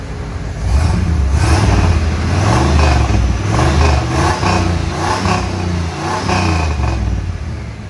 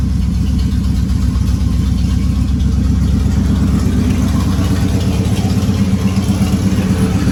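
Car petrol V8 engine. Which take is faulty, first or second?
first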